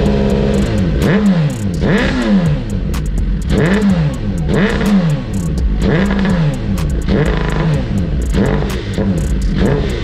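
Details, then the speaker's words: 2009 Suzuki GSX-R1000 with the original fuel tank and failing fuel pump: revs rise and sag about once a second, bogging when the pump's second stage fails. This is fuel starvation. "when the fuel pump goes into the second stage it's not working this is what we get sometimes it goes up most time it'll fog out so if you have these symptoms rep"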